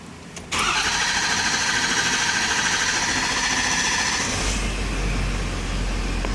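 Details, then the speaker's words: 6.7 Powerstroke diesel during initial diagnosis: brief crank then immediate start, settling into steady even diesel clatter; idling around 650 rpm, charging 13.8 V, fuel pressure about 70 lb, low-pressure fuel switch reads not low; normal start and idle. "and obviously I mean it started and runs so matching pretty good does run very well it's running all right"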